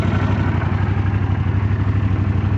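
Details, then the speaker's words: Old Honda Silverwing that sat unridden for 12 years, warming up: low, even thrumming idle with a steady pulse, no ticking or clatter; running smoothly. Bike later found to have wreck damage (bent fork tubes). "Hasn't been rode in 12 years. Let's see what we can do for her. Oh yeah, that's what I'm talking about. Let me warm her up a little bit."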